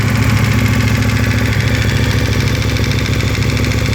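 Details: KTM 1290 cold idle, noise since 10,000 km, disappears when oil reaches 70°C: fairly even metallic ticking about three and a half per second over the engine beat; source unclear.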